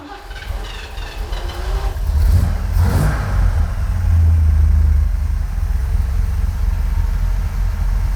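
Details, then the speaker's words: 1980 Corvette, 350 four-barrel V8 with four-speed, after carburetor tweaks: following a brief blip it settles into a deep, steady, even low rumble; idle sounds smooth and much improved. "You hear that steady rumble? That already sounds so much better. So much better."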